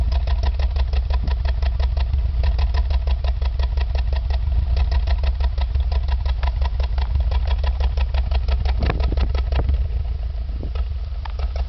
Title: Exhaust Misfiring